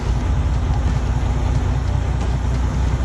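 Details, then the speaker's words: DD15 diesel, fault code SPN 3660 FMI 14 (cylinder 2 injector amplifier control valve), cylinder cutout test near 1000 rpm: steady rumble with an uneven tremble when a cylinder is cut; the cylinder cut here is pulling its weight; owner suspects injector 2. "Actually, you can hear it and feel it tremble. So I'm guessing it's getting stuck open."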